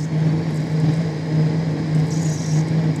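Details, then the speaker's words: Lathe roughing a stepped pulley with CNMG TF insert at 4 mm depth, 0.125 mm/rev feed: steady low droning hum with rough buzz, whole metal cabinet vibrating under the heavy cut; owner hopes power electronics survive. "Donc voilà, donc là ça fragmente bien, la vibration reste très atténuée, même s'il y en a, on l'entend, hein. D'accord, tout le coffret métallique vibre."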